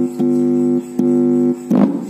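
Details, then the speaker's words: Polytron XBR active speaker repaired for a rumbling, crackling fault by replacing an NPN transistor; playing music in USB mode with clear, steady tones and no crackle, hum or rumble. Clean audio playback after repair. "dan sudah nyala untuk lampu indikatornya dan suara halus tidak ada kresek"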